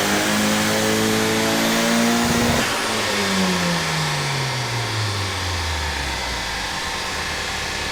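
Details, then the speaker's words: Cammed BT 1.8T 20v Mk2 with GTX2867 turbo, on E83 during dyno tuning: engine screams cleanly to 7,000 rpm with no breakup, then winds down; earlier RPM limit was cured by raising too-low ignition dwell times. "and it is now revving to 7,000, and it sounds like it's revving forever."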